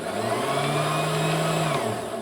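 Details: Bernina Matic 810 sewing machine with bobbin winder engaged: smooth, quiet motor hum with a steady mid tone, no grinding or rattle. The winder spins freely; the old hub was noisy and let the bobbin slip.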